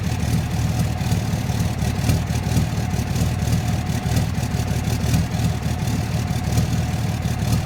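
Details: 2006 Dodge Cummins diesel at idle: a steady low rumble with a sharp, regular ticking clatter on top. The owner suspects bad injectors, unconfirmed. Ticking at idle.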